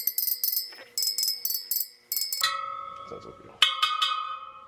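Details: Sur Ron Light Bee supermoto front wheel build, final round after tightening a dead-sounding spoke: each tap gives a clear sustained bell-like ping, not a dull thud, spoke tension sounds right.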